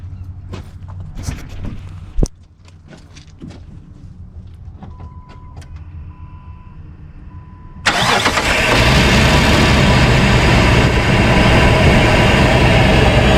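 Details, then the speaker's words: 2005 Jeep Wrangler Unlimited LJ rebuilt stroker, first start after replacing failed oil pump drive unit and fitting a high-volume oil pump: brief crank, fires straight away into a steady idle, no knocking or ticking; good oil pressure. "good oil pressure everything looks good everything sounds good started right up first try without any issues idling smooth"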